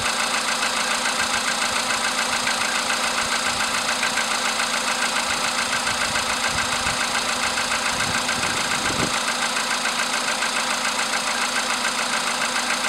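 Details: VW Polo sedan CFN engine, cold start in the morning after sitting overnight at about 10°C: steady, fairly even light knock about 85 per minute over the idle hiss; engine knock, source undetermined.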